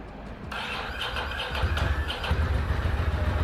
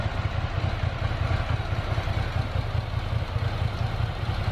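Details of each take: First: Ducati Monster 800 V-twin dormant 4 years, first start after new fuel pump and battery: catches after cranking, then lumpy uneven chug at low revs, running on one cylinder (front suspected) until revved, when second cylinder kicks in; cause not confirmed. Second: Ducati Monster 800 V-twin, revived after 4 years dormant with new fuel pump and battery, returning from road test: deep, lumpy, loping idle at an even pace with no knocks or rattles; normal idle, no issues.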